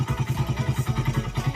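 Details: Suzuki Satria FU 150 cc after a botched cam chain replacement elsewhere that left it rough, weak and thirsty, now re-timed and test-running: crisp, regular exhaust pulses about eight a second with no misses or clatter; smooth, healthy idle.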